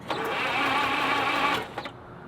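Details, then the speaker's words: 1948 Willys Jeep that died after 1,300 miles, after oil pan work and fresh oil change; short even light cranking, never catches, ticking heard, seems to lack compression, compression test planned. "It doesn't sound like there's any compression. I know. We should get a compression tester and confirm."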